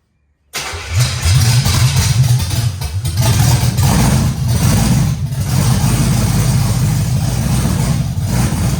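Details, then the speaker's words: Camaro Z28 with Blueprint 350 V8, first start after gas tank install and new plug wires: short crank, then catches and settles to a deep, lumpy but steady rumble; timing dead on, runs and sounds good. "That's awesome, man. This thing runs, it sounds good, although it didn't come with its issues."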